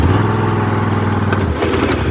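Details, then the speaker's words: Old Husqvarna riding mower, 926 hours, after engine swap, deck engaged: engine runs steady with a loose, uneven rattle from the deck; one or more of the three blades loose on their mounts, need tightening. "The I can hear that all three blades are about to fall off, or at least one or two of them are loose."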